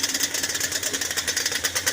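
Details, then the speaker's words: Yamaha Banshee 350 two-stroke at first start after a full engine rebuild, held on choke: a fast, even crackle of about eight pulses a second, sitting higher than a normal idle; the idle may be too high, suspected rather than confirmed. "Just keep holding on choke. Yep. The idle might be too high."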